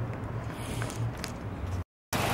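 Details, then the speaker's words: Ford Fusion idling after repair of an engine noise involving the balance shaft: low, smooth, even hum with no knocks or ticks; engine idles cleanly and sounds healthy. "pessoal Finalmente como prometido aí ó motor do Fusion funcionando perfeito filé"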